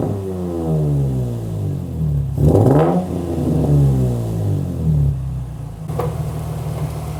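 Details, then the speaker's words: Nissan 350Z first start after fitting a Kinetix intake manifold, listening for leaks: idle hunts with a slow wavering beat and a couple of throttle blips; idling a little odd, cause unclear, otherwise seems okay before test drive. "sounds different. All right, so far it seems like everything is okay. It was idling a little odd, but now's like the time for the actual test drive."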